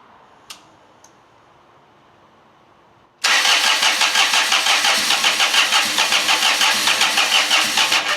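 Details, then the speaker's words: John Deere 455 diesel lawn tractor cranking hard at about three beats a second but never firing, smoking a lot, glow plug light off; mechanic suspects bad glow plugs, about to check them with a test light. "it's not starting smoking a lot now it's got a glow plug light on here right there in the middle and it's off it's cranking hard them glow plugs might be bad"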